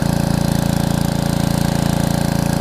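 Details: Karcher pressure washer with 6.5 hp Briggs & Stratton engine and new carburetor: even, fast firing beat with steady pitch and no misses while pulling the pump; normal running under load.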